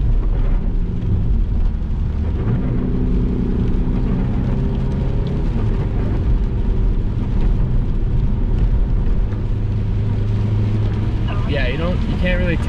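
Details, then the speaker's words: Saab 9-5 Aero with 200k miles, straight-piped after its center muffler was removed to fix an exhaust leak, accelerating on a wet road with wheelspin. Rumble building evenly with no leak puffing or ticking; normal exhaust. "you'll see that it's got like a nice little it's a little a little bit louder of a growl on the back side like a nice little rumble but here we are i'm going to give it some acceleration and i'm spinning because it's wet outside"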